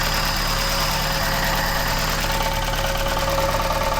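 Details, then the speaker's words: MK1 Ford Escort van petrol engine idling: rough, uneven rattle three to four per second, low down; owner suspects clutch, new engine mount or steering column, worse at times and bad now; idle rattle. "Sometimes it's worse than others. It's quite bad at the moment."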